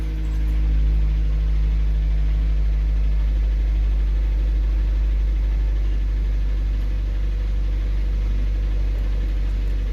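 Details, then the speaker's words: Matrix 2008 with a swapped-in K-line ECU, read by scan tool over KWP2000 on OBD2 pin 7 with no fault codes; steady, even idle with a low smooth hum and no knocks or misses, live data normal: normal idle. "you can hear the vehicle running."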